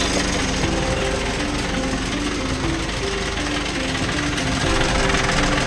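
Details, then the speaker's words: Mitsubishi L300 Euro4 at diesel idle, blower on and AC compressor engaged: harsh rough rattling grind with the low-side line shaking, from a faulty AC compressor; cooling is weak. "I-engage ko yung compressor. Ayan maingay."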